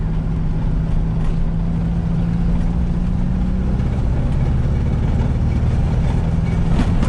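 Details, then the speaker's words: VW Beetle driving, cabin recording, after exhaust leaks fixed and new fuel system and pump: smooth low drone with road rumble, no popping or ticking; exhaust far quieter and sealed. "exhaust is a lot more quiet a lot more quiet on the inside like i could almost i almost don't hear it from here"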